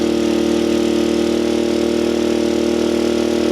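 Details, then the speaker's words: Small gas generator rated 800 running watts, charging an Anker Solix F3800 Plus through the generator input at 500 watts: a steady, even engine drone held at raised speed with no hunting, knocking or surging; carrying the load comfortably. "Hit save, and you can really hear the load on the generator now. But it is charging it at 500 watts."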